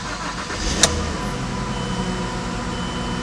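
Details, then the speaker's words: 2010 Mazda CX-9 after repair of dead misfire on cylinder 3: quick start then even, steady idle with no stumble or miss, confirmed with data; running normally. "We proved it out with data. It's all you need, boys. She's running great. She's perfect."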